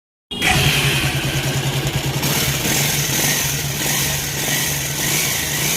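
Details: Bajaj Pulsar 180F single-cylinder running with a busy, uneven rattle over the exhaust beat; abnormal engine noise, cause not yet known.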